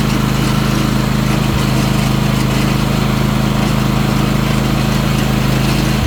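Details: Ariens Apex mower with Kohler 7000 series V-twin, about 238–239 hours; owner reportedly already changed spark plugs and fuel filter, oil checked. Loud lumpy idle with stumble, like one cylinder missing; rough running and power loss.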